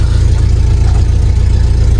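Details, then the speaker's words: Volvo Amazon started to drive down the hill: deep, even rumble with a steady beat and no misses or knocks; it always starts; normal idle. "It's nice when your cars always start. Purrs like a kitten."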